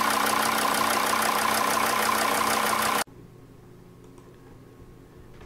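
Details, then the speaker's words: Diesel engine idling after a faulty injector was replaced with a new one: even, regular clatter about three beats a second with no missed beats, runs smoothly without misfire; it still won't start when hot, and the fuel pressure regulator sensor is suspected next. "И когда заменили ее, двигатель начал нормально работать без перебоя."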